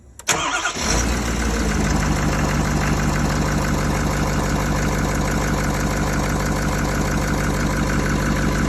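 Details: Ford F-550 6.7L Power Stroke diesel after repairing mouse-chewed wiring under the junction box that caused random shutdowns, no-start and lost ECM communication: short crank, catches at once, settles into even steady idle without misses or knocks; normal start and idle.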